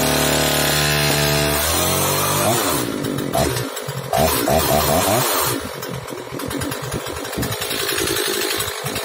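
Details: Oleo-Mac 947 chainsaw after repair (low compression; had started but stalled off choke because the carburettor was sucking air through a leaking fuel line, line replaced, idle and high-speed mixture readjusted): picks up cleanly from idle to crisp high revs, steady off choke; running properly.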